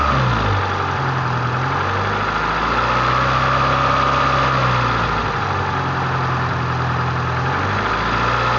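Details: Honda CRX with B18A1 block and B1 head at idle after third timing-belt tensioning: thin, constant high whine above the engine note; owner suspects timing belt tension.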